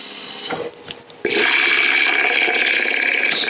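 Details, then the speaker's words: Lathe turning a 4x4x4 inch wood blank for a lidded box: steady hissing cut with loose uneven tapping about three per second on the gouge; blank not yet round or true, tapping stops once smooth. "So you can hear the tapping. When it's not quite round, when it's not quite true yet, you'll hear it tapping."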